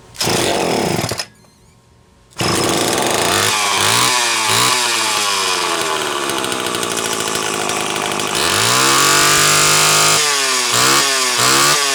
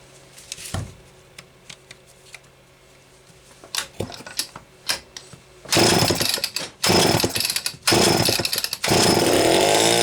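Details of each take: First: Homelite XL-12 chainsaw that a shop blamed on low compression; test run after a failing condenser was replaced. Fires and revs cleanly up and down, pitch rising and falling crisply with no stumble; runs healthy. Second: Homelite XL-12 chainsaw, which a shop blamed on low compression (90 psi), on a test run: it fires in rough bursts and cuts out under throttle instead of holding revs, despite great spark, an ignition misfire.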